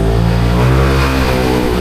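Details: Yamaha NMax scooter that suddenly wouldn't start, fixed at a shop without parts after a remote key issue: the engine picks up cleanly and revs smoothly with an even pitch and no stumble. Normal revving.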